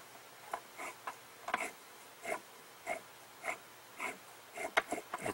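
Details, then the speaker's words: 20-year-old Black & Decker MM525 electric mower motor reassembled after a broken chunk of stator magnet was removed, shaft turned by hand: slow, irregular scraping swishes about every half second. The armature is rubbing one ceramic magnet, with little clearance. "rubbing on one of the ceramics clearance isn't much"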